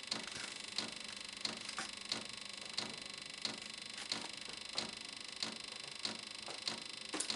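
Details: VEVOR Chinese diesel heater, first test run on a 12 V deep cycle battery, after preheat as it starts to run: sharp light ticks about one and a half per second from the fuel pump; dosing normally during startup.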